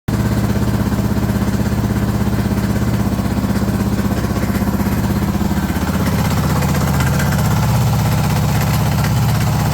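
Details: Suzuki DR650 Dakar SP41B single-cylinder motorcycle idling with a deep uneven thump and an odd rattly clatter; owner unsure of the strange engine noise.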